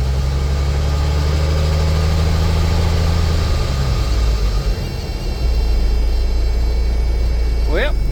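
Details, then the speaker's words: 1984 model 359 semi with a big cam Cummins diesel, first start after sitting for months: a deep, steady idle rumble with a thin high whine and squall, which the owner attributes to the alternator. Unconfirmed. Whine and squeal at idle. "Fired right up. It ain't been running months. Just needs some battery action. Hear that alternator winding? Hear that squalling?"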